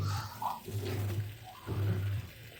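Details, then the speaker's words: Whirlpool fully automatic top-load washing machine, pulsator turning very slowly, not washing properly and sometimes stalling under load; deep rough growl surging in bursts; worn gearbox, to be replaced. "तो दोस्तों इस तरह से ये काफी आवाज कर रही है। आपको सुनाई दे रहा है तो ये देखिए दोस्तों कितना आवाज कर रही है। गरगर की आवाज आ रही है।"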